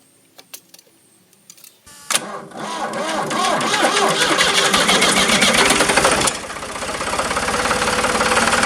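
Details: Ford New Holland LX 865 skid steer, about 65 hp turbocharged three-cylinder diesel: starter cranks steadily at about four compressions a second but the engine never fires, won't rev or keep running; contaminated fuel fouled the injection pump, which goes for rebuild.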